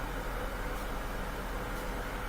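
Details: Bosch washing machine in diagnostic test mode: steady rushing hiss of water filling through an open inlet valve, even flow with no chatter or buzz.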